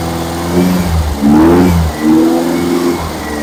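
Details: Freshly rebuilt petrol engine during break-in, after fixing a backwards-connected fuel pump and reconnecting the vacuum advance line: revs swell and drop with short throttle blips, settling back each time; fuel now reaching it properly.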